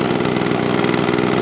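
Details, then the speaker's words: 20-year-old Sears Craftsman box-style two-stroke leaf blower, hot engine, choke off, throttle applied: busy buzzy note held steady at high throttle, no misses or rattles, normal running. "Okay, got it fired up, ready to go. Get a better focus here now. Give some gas"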